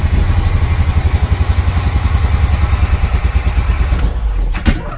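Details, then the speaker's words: 1982 Chevy K10 pickup after sitting nearly 5 years: loud, lumpy, uneven chugging with missing beats, running on about half the engine, then a sputter and pop as it dies; misfire on several cylinders. "Nope. Try again. We're running on like half the engine."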